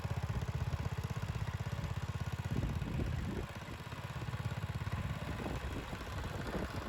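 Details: 1975 Bolens G14 tractor after fixing a drive belt that was thrown at engine shutdown: steady low single-cylinder thump at about four beats a second, even and unbroken, with light clatter; belts stay on after repeated tests, runs healthy.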